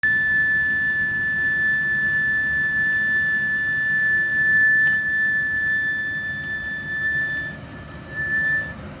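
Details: Lennox gas furnace (model EL180UH080NE48B-03) running: a steady, piercing high-pitched squeal over the soft rush of the furnace.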